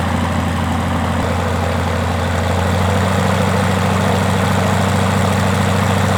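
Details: Rotec R2800 110 hp radial on an Aerolab LoCamp, never run before, idling at its first start with the fuel pump on: a deep, even idle with a steady rhythmic throb and no misses or knocks. Normal idle.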